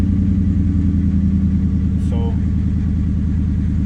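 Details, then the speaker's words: 1996–1998 Mustang GT V8 idling with check engine light on, not yet warmed up, before replacing plug wires and coil pack: deep idle with an uneven stumbling, lopey cylinder misfire. "As y'all can see the check engine light on, and y'all can hear the misfire."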